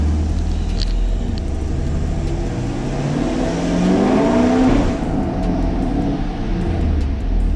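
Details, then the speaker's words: 2021 Camaro SS V8 revving after installing a Roto-Fab cold air intake, MSD intake manifold and Katech 103mm throttle body, not yet tuned, check engine light on; loud rushing suck of air swelling with revs, strong induction noise, otherwise even. "You can hear it. It's real loud when it sucks in the air."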